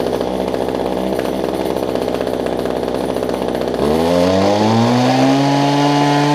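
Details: Older Homelite two-stroke hedge trimmer, fuel line renewed, starting easily: buzzy, slightly uneven idle, then revs cleanly with pitch climbing and holding steady; normal running while warming up.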